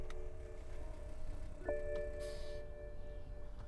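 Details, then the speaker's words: 2010 BMW 535i GT: key recognized, dash illuminates and warning chimes ring, rear air-suspension pump runs, but no starter whir or cranking at all, in park; no-crank no-start, cause unknown. "she's not wanting to start at all can you hear the the air pump is trying to raise the rear suspension she's not even trying"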